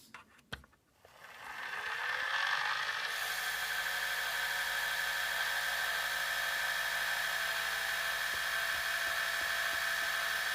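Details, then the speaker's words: Gakken Premium Gramophone wind-up motor, fully wound, with other hardware removed, after greasing its plastic gears. After startup it settles into a smooth, steady whir with only a light gear tick, quieter than before greasing. Quiet gear mechanism after lubrication. "Before, you could barely hear me talking in the background while the unit was running, and now I am talking to you with it running, and you can hear me a little bit clearer."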